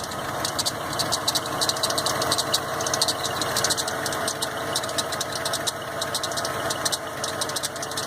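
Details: 1990 Ford F-150 at idle: chirping, squeaky high-pitched bursts over the engine from the drive belt slipping; belt squeal at idle.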